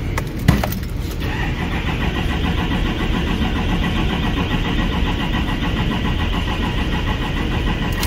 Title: 2018 GMC SIERRA K2500 HD 6.6L (L5P), CRANK-NO START-FUEL CONTAMINATION